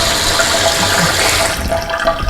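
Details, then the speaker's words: Bathroom sink pop-up drain with stopper fully closed and water running: steady trickle and gurgle draining past it, stopping when the stopper is touched; stopper not sealing, possibly hair buildup. "you hear that's the water draining out right down here but if you touch it it stops"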